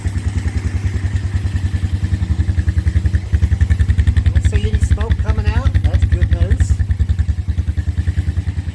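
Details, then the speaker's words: 2007 Honda Recon ATV, wrecked and left sitting 8–10 years, started without any repairs: an even, steady putter of about 3.5 beats per second with no misses; a clean, healthy idle. "She runs, she idles."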